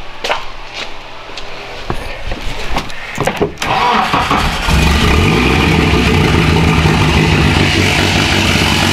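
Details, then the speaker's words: K24-swapped Mazda RX8, jump-started on a weak jump box with partial exhaust, catches and settles into an uneven, lumpy, loping idle; running very rich with fuel and smoke everywhere, still needs tuning. "and there's that um it's still running hella Rich that was another issue I had so that's what all this fuel is coming from everywhere they're all this smoke but besides that she runs"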